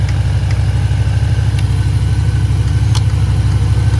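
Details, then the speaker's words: Range Rover P38 air suspension (EAS) with freshly rebuilt valve block: compressor restarting as the car adjusts to low height after the tank dropped from 150 to about 110 psi, a steady low electric drone with a quick even pulse; normal. "compressor will stop when the car needs to lower because obviously you don't want to put air in you want to take it out when you're lowering so there's a compressor going again as it adjusts its height"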